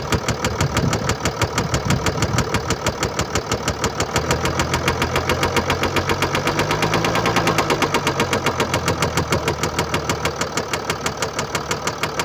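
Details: 2013 Mercedes-Benz E350 4Matic, 2987cc 265PS diesel (engine code NZAAB501), 224,763 km, steady idle. A hard, regular knock about three per second rides over the clatter. Bearing damage and a defective injector.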